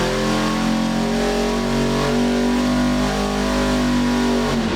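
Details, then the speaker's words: 632 big-block Chevy V8 for a 1989 C1500, on the dyno at 34° timing leaned slightly, deep loud even roar through the pull with no knocks or misses, over 600 lb-ft; healthy under full load. "Yeah, it definitely sounds mean."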